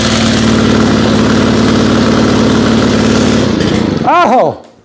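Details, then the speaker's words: FS90R trimmer with a replacement fuel tank, run at about 30°F after 5 months on untreated ethanol-free fuel. A steady, uneven buzz won't pick up on throttle, then dies away: bogging because the choke was left on. "i am the dumbest person in the world forgot to take the choke off"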